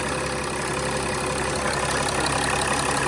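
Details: 2006 Mercedes E320 CDI, OM648 diesel, settled idle after the glow plug control module and fuel rail pressure sensor were replaced, no leaks found: even clatter, no hunting, misfire or knock; healthy idle.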